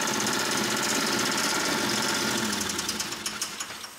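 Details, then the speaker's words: 1988 Camaro IROC-Z, first start after 27 years stored, at wide open throttle on starting fluid: harsh, rapid metallic knocking about four a second over a rough, clattering run; owner suspects rod knock. "i think this thing's got a rodnock it sounds absolutely horrible"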